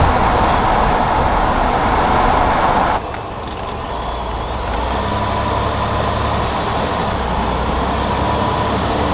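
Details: 2018 Ford F150, GoPro mounted near the front wheel while driving: road rumble with a rough, gritty grind, louder at first then easing; owner suspects the IWEs that engage 4WD, unconfirmed.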